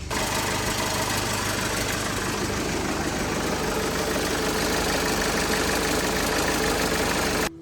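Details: Mercedes Sprinter van, 2.1L OM651 diesel, 78,000 mi, at idle: loud harsh rattling; catalytic converter bracket snapped bolt and crack, converter loose, damaged flex pipe leaking exhaust.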